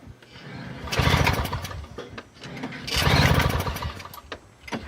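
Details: Free Toro CCR 2000 snowblower, Suzuki 4.5 hp two-stroke with Mikuni carb on 50:1 mix, primed, key on, choke out: two cranking bursts of fast churning that die without catching; smoke suggests spark, owner suspects fuel vent valve or key switch; cranks but won't start.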